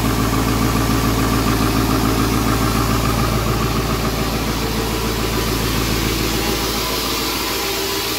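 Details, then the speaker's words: 7.3L Powerstroke turbo diesel (Navistar T444E), first start after almost 2 years crated: steady idle with a harsh, buzzy rattle on the exhaust; exhaust back pressure valve is noisy. "and that back pressure valve is noisy"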